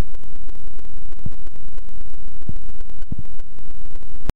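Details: GoPro camera recording harsh, steady electronic static with a faint buzz and scattered pops that cut off abruptly; audio glitch occurred in only one clip and has not recurred, cause unknown.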